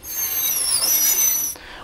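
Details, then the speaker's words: Suzuki Jimny pre-MOT check, wheel jacked up and turned by hand: dry, high-pitched rasp fading as it slows; owner suspects gravel or stones between the brake disc and pad, or low pads touching the wear indicator. "all right that could be a few things but what I reckon it is is there is some stuff some grabble some uh little stones or basically there's something between your desk and your pad that is creating that fiction and is creating that noise"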